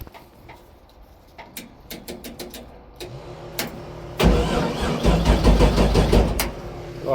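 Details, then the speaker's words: LS1 speedway car, abandoned barn find, first start attempt: starter clicks then churns the engine over at about three beats a second without catching; crank-no-start with no fuel, the two fuel pumps not running, suspected fuse or ground fault. "Oh, we got a problem. I even drove it here, dude. We got no fuel."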